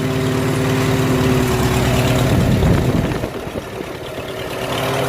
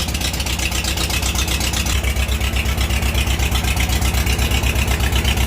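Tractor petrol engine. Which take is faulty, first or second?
second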